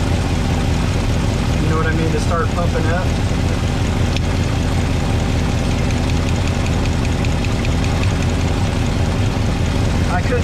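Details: 1962 Chevrolet C10 V8 (possibly a 350), warm, valve covers off during valve adjustment: busy rapid ticking clatter over a rumbling idle from a backed-off rocker not yet getting oil.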